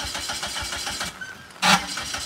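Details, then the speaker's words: Newly bought 2.4 L turbo PT Cruiser with AutoStick, being unloaded from a trailer: fast rhythmic cranking for about a second without firing, a pause, then a short burst; cranks but won't start, out of fuel, tank nearly empty. "well we thought that was gonna be a lot more exciting but apparently we ran out of gas there was only like you know enough to get it on the trailer and not off the truck"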